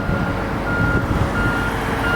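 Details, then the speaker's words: Boatyard travel lift, operated by remote: steady high beeps roughly every 0.7 seconds over a low diesel rumble; normal travel lift motion warning beeps. "And you can hear it beeping. Here it comes."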